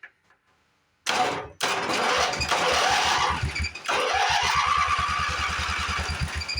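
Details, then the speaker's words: Late-80s Sears Craftsman GT6000 tractor: starter turns the engine at a steady beat of about three strokes a second but it never fires; no fuel pump pulse felt, owner suspects no fuel or a sticking float. "Yeah, I really don't hear that pumping either. Usually with these pumps, you can feel a pulse."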